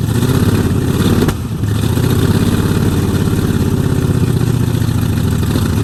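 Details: 1969 Mustang V8 that sat 15 years, after new solenoid and voltage regulator: rough, uneven idle with a clear stumble, definite misfire; owner suspects timing slightly off and expects new plugs and wires to help.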